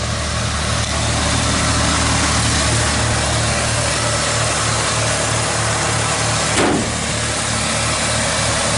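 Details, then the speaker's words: 1985 Ford F250 pickup driving in rain: steady low engine rumble with even beat, no pops, misses or stumbles over road hiss; running pretty smooth, normal. "so let's go down there it's running pretty smooth though"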